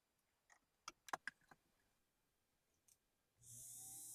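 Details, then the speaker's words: Vintage Varney F2 HO scale F unit locomotive motor, propped on its side and run on a blue box controller after a little oil, spins up to a smooth, steady high whir with no rasp or stutter; running normally. "And that seems really good."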